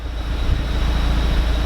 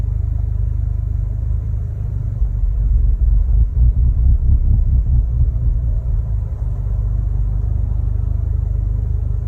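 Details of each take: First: Audi TTS mk3 warm idle at about 850 rpm after fitting APR coil packs and NGK spark plugs and clearing codes: steady even low rumble, needle solid, no stumbles; previously rough, hunting 400–1500 rpm. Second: Mk3 Audi TTS at idle before fitting APR coil packs and NGK spark plugs: low, lumpy rough idle hunting, dipping below 400 rpm and surging to about 1500 rpm, misfire.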